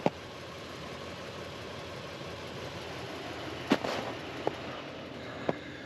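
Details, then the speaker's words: Toyota in four-wheel-drive high, in drive, on pure ice: scattered sharp ABS-type clunks, about five in six seconds, over a low engine hum as traction control brakes the spinning wheels; normal traction control operation. "the third time i could hear when traction control is going it's the sound of the abs sound you'll hear some sound like a clunk whatever this is pure ice look"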